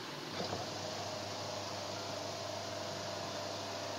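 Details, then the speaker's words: Refrigerator compressor tested on 220 V with a PTC relay and overload: a click, then a steady low stalled hum with very high current before the overload trips. It runs very hot, and the motor winding is judged shorted. "langsung mutus lagi ini hidup ini ampernya mentok tinggi sekali kemudian langsung overload mutus"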